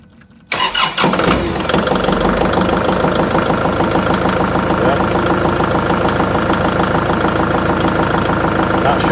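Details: Kubota MX5800 tractor diesel after ignition switch replacement: catches within a second and settles into a steady, even idle with no stumbling. Earlier the dash died during cranking, and the operator presence switch had most likely been tripped by leaning on the pedal.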